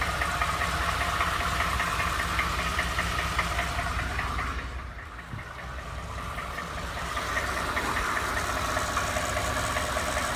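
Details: Ford F150 bought used, with a knock noticed after 1,000 miles: steady idle with a fairly even light knock about two and a half times a second under the engine note; engine knock, source not pinned down.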